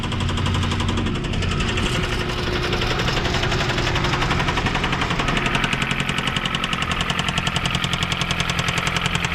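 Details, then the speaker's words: 2007 Jeep Compass (possibly 2008), about 156,000 miles, jump-started for its first crank: heavy, regular deep bottom-end knocking, roughly three to four blows a second and getting sharper. Owner suspects rod knock or a spun bearing, unconfirmed. "definitely sounds like she has a road knock guys so i'm gonna guess this engine is pretty much garbage"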